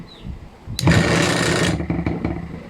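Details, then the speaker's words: Ice crusher that only hummed and would not spin, after replacing the failed open starting capacitor; motor starts briskly, steady whirr about a second, stops with light clicks: normal running after repair. "So gumagana na siya. So ito lang yung sira yung dating capacitor niya."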